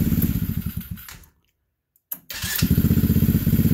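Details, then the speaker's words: T-Rex 125cc after carburetor replacement and freeing a sticking throttle cable: crisp, even firing that cuts out cleanly, then restarts straight away after idle adjustment and settles into a steady, eager beat; runs properly, like a little racecar. "I think the boys gonna be happy with that sounds like a little racecar now"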